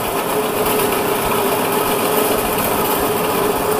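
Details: Horizontal bandsaw switched on with workpiece clamped in vise, before coolant opened; smooth, steady mid-pitched hum, no knocks or rubbing, blade running normally.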